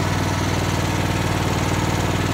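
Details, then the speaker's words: Riding lawn mower being hotwired with a jumper wire: the small single runs briefly on a steady, even putter, then cuts out abruptly. It sounds like it is not getting fuel, a fuel starvation issue. "H doesn't sound like it wants to start sounds like it's not getting fuel just need a little uh carb"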